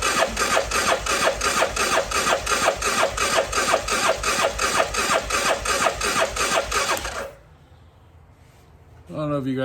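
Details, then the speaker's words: CF Moto Moose Tracker 500 ATV that sat about 3 years, choke held, battery pack on: starter cranks steadily about three turns a second for seven seconds, never catches; carburetor later found gummed and plugged. "oh look oh it's terrible i wonder why i couldn't get it to start"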